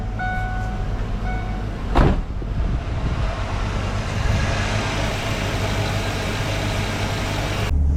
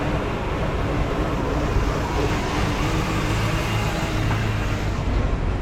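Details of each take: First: 1995 Mustang GT V8 after distributor replacement and timing set with timing light: steady, even low rumble with no misses or stumbles; idle smooth and settled. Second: 1995 Mustang GT V8 with a deep, uneven, lumpy rough idle that returned weeks after replacing the idle air control, throttle position sensor and PCV valve; owner determined the distributor was the cause and replaced it.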